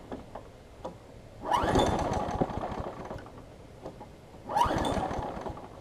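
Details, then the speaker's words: Craftsman 6 hp big-wheel front-drive self-propelled mower, new pull rope fitted, primed: two pull-start bursts that sputter briefly and die, quiet between pulls; owner suspects excess gas; hard starting. "acting like it's getting a lot of gas I'm going to cycle it a few times maybe maybe there's just a bunch of gas in the shape"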